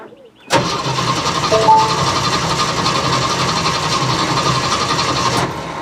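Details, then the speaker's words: Jeep CJ-7 being started after gas tank cleaning and install, with bad gas still in the lines: engine cranks steadily for about five seconds but never catches because the owner's hidden anti-theft cutoff was left engaged; crank no start. "okay that was my fault i did not undo my poor man's anti-theft device so let's try again"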